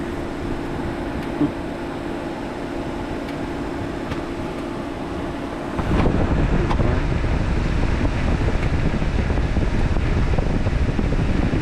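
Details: 2009 Chevy Equinox with key out of ignition: steady airy rush jumps louder halfway as radiator fan switches on by itself; coolant temperature (ECT) sensor being replaced as the fix; cooling fan running with key off.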